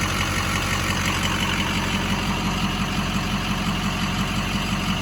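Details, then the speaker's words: 2007 Ford F-250 6.0 Power Stroke diesel, fully built, tuned, 268,000 miles: steady diesel idle with crisp, regular injector clatter about two per second; normal diesel idle. "hear the injectors keeping on yeah so that's the that's the injectors kicking"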